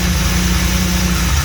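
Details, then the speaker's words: Fully built 3800 V6 race engine, first start with new coolant: deep, steady idle with even low rumble and no knocks or misses; successful start. "yeah my um fully built race engine uh it's complete um first started was a complete success"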